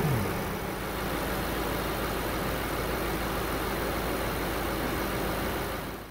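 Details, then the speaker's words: BMW N63 V8, a new engine, idling at about 700 rpm, programmed 50 rpm below regular idle: steady, even, smooth low drone with no knocks, ticks or hunting; normal healthy idle. "That's the sound of the N63 engine. Perfectly running N63 engine. That's the regular sound, 700 RPM."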